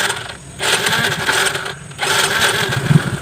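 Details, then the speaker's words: A Yamaha Mio J fuel-injected scooter that sputters, with the MIL lamp not lighting and fault codes 51, 37 and 46. It is hard to start and catches in uneven bursts, nearly dying twice; it tends to stall. Cause unconfirmed. "dia suka mati-mati guys ya, kayak gitu ya. Hidupnya itu agak sulit, kadang-kadang dia tuh hidup ya, seperti itu ya."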